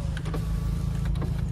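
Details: 2011 Chevrolet Cruze 1.6 manual with 258,000 km, front power window: smooth, even motor hum as the glass travels with no grinding, clicking or strain; the regulator works properly.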